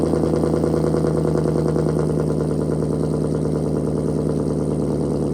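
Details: Challenger Shaker at 45,280 miles, cold idle before a radiator flush: steady, even idle with a deep low burble and fast regular firing pulses, no knocks or ticks. Healthy.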